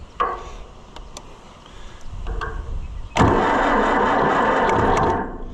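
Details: Oliver 550 diesel tractor: a few slow, uneven cranking turns, a pause, then it catches and runs rough but steady. Hard starting; something is still thought to be wrong inside.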